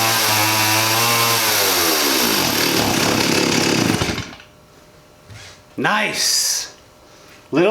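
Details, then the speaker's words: 1985 Stihl 028 AV Super chainsaw, sat about 10–15 years, running only on full or half choke: screams at full throttle then sags and dies; blips pick up slowly and unevenly, lean low-speed circuit, carburetor blockage suspected. "so it's just running on choke right now full choke and half choke that could mean that there's a blockage in the carburetor pulling fuel more through another jet"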